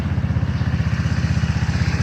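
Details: GY6 150cc scooter engine idling with a sharp, rhythmic puffing tick: exhaust leak at the emission-control air-injection port off the exhaust.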